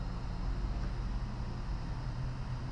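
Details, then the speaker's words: Xbox Series X after disc drive replacement: steady, even low whir with no clicks, scraping or grinding; disc drive spinning up and running normally. "as long as we hear it spinning it works and you can hear some healthy disk drive movement that's what a working disk drive is supposed to sound like"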